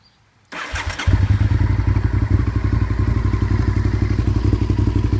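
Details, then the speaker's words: 1998 Honda VTR 1000 V-twin, already warm and started with no choke; brief starter whir, then fires at once and settles into an even, loping idle: normal warm start. "you go that was with no choke like I said it is already warm"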